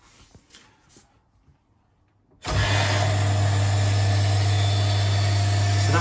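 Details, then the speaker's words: Stuart Turner Mainsboost water booster pump, heard with the cupboard door shut: quiet, then kicks in after about two and a half seconds with a steady even low hum to recharge the vessel; stops once recharged. Normal running. "you can hear that that's recharging the vessel because we shut the time and that sound with the door sure once the vest was recharged the pump stops"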